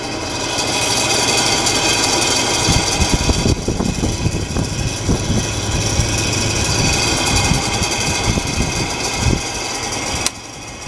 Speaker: oh I think it's time to put a new uh a new fan on this is annoying